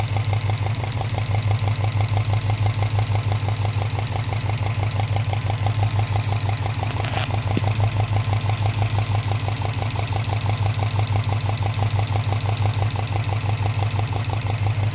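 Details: Subaru Impreza WRX warm after an hour of running: a steady knock of about three beats a second at idle, louder on the passenger side near cylinder 1 or 3 and less on the driver side. Piston slap is questioned. Cause unknown.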